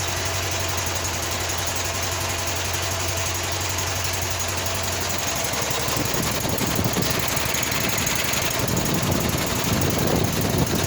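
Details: Walker mower with a Kohler CH620 twin, lacking power, running with a rough, lumpy, loping beat. One cylinder is dead from a failed ignition coil; the coil is then replaced.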